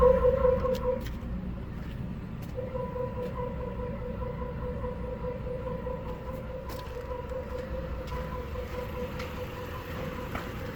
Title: 1986 Chevy El Camino 4.3L Weird Noise From Tailpipe. What is it?